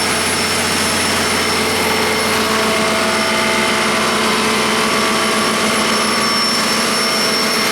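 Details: 1959 Caterpillar D337F diesel generator set, ex-hospital, barn-stored 10–12 years, about 959–960 hours, idling unloaded and barely at operating temperature: even, steady run settling into its operating range, no misses or knocks; normal idle.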